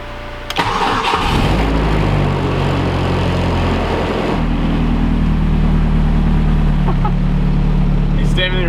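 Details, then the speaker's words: Mazda Miata with an Ecotec engine swap that drives very rough and smokes, heard from inside the cabin: a lumpy uneven idle with a constant buzzing rattle carried in through the solid engine mounts. "Those are solid mounts up there. That's why like it rattles so much in here."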